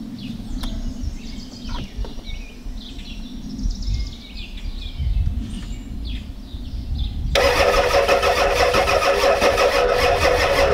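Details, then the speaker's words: 1993 Ford F-250 7.3L IDI diesel with a new fuel pump, on two rigged batteries: after a quiet spell the starter cranks steadily, about three beats a second, but it never fires though fuel is present. The owner blames a bad starter and cable ends and suspects a fuel leak-back; unconfirmed. "It won't start. There's fuel there. You can see it leaked out."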